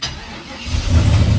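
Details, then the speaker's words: Turbo LS engine after wiring two fuel pumps via relays triggered by the LS PCM: engine catches cleanly and settles into a firm steady run; fuel system works, pumps prime 3 seconds at key-on. "on sweet it works all right that is it for the fuel system it works"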